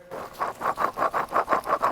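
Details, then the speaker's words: Original wheel bearing removed from a 2004 Lexus RX330 and turned by hand: a gritty, scratchy rasp pulsing about six times a second. On the road it caused a roaring that rose with speed. "oh this guy makes a lot of noise let's wait for the compressor to shut off and then you'll hear it so here is the old bearing"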